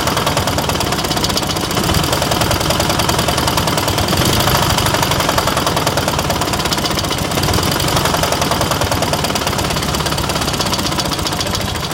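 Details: KMZ engine running at a steady speed with loud, fast, even knocking through the engine note. Mechanical rapping, cause not yet known. Engine knocking.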